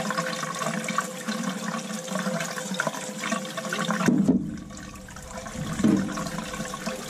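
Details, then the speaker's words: Crown hydronic boiler, no heat at start of heating season: late in second-floor zone purge, rushing gurgling water with scattered crackles, some air still working out but starting to sound good. "a little bit airstone crow's out there you know that crackling is there so but starting to sound really good"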